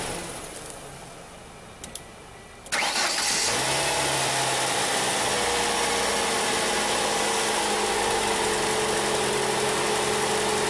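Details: 1994 Ford Escort 1.9 after replacing a bad starter: the starter engages, the engine catches promptly and settles into a steady, even idle. Normal cranking and start.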